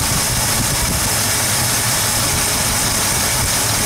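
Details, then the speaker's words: 1972 Ford 302 small block idling during running valve adjustment: light quick ticking over the idle keeps time with engine speed as the rocker is backed off; valve lifter tap from loose adjustment. "Hear how it's skipping? It's basically holding that valve open."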